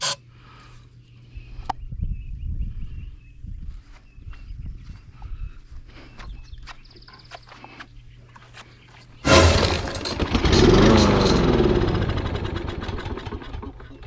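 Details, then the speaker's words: Snapper push mower, Briggs & Stratton engine, customer used ethanol gas, won't start: with air cleaner off and starting fluid sprayed in, engine bursts into loud rough roar for seconds then dies; confirms fuel supply fault, carburetor next. "Just like that, man, fired up real nice, right? Real nice. So that lets us know that we got a fuel issue."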